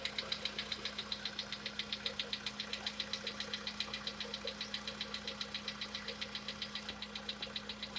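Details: Sharp metallic ticking, about four per second in an even beat over a quiet idle hum, on a VW Polo Sedan with CFNA engine; the owner tests whether decarbonization cures this known knock.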